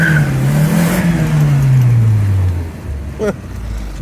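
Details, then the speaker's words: Rover 820 Turbo Vitesse coupe, manual, restarted after sitting about two years on new battery; engine note falls as revs drop with raspy puffing edge, exhaust blowing a little, sporty but not normal; exhaust leak. "but considering it's been sat for a while, that exhaust is blowing a little bit. It does sound quite sporty, but I'm sure it's not supposed to sound like that."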